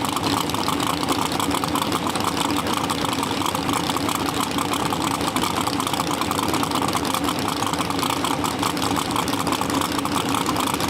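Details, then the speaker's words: Nitrous drag car cranking on the starter: quick, even chirp out the exhaust, which points to a slightly blown head gasket. "there was chirping which when you like cross fire like barely get a head gasket you'll hear like a chirping noise out the exhaust pipe when you cranking on a starter and that's what we had"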